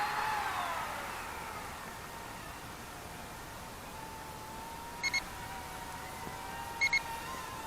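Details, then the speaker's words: UDI U28W Peregrine drone in flight: two short double beeps about two seconds apart over faint propeller whine, the low battery warning; battery wasn't fully charged. "and if you can hear that beeping our first battery is should be going out just bring this little guy down slow as it'll come"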